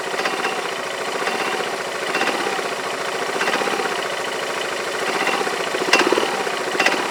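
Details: Yamaha Majesty scooter idling on the lift with the parking brake on: an uneven metallic clank about once a second from the drive side. The owner suspects the CVT clutch and is unsure whether it is normal; cause unconfirmed.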